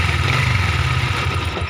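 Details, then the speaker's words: Yamaha Vixion New at idle after piston replacement and boring: uneven clunking "glek" knock over low engine rumble that stays with the clutch pulled, louder when released, pointing to worn primary and balancer gears. "Tapi kalau ditarik kopling suaranya hilang ya. Tapi kenyataannya ini ditarik koplingnya suaranya masih ada ya."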